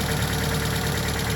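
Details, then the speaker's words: 2008 Chevy HHR 2.4 Ecotec, warm engine, idling after the fix with the intake thought to be the culprit: smooth, even low hum with no suction hiss or whistle from the oil filler; normal idle. "Now, like I said, the engine is warm right now, and you can see no more suction noise."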